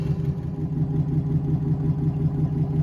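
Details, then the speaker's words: Boat electric motor driving a straightened propeller shaft after alignment adjustments: even low hum with steady soft pulse about three beats per second, no knocking or shudder; vibration gone, was nearly 2 mm runout before, now smooth-running. "but this is looking really good I don't have any vibrations here at all anymore before it was almost 2 mm bouncing around so this is pretty good"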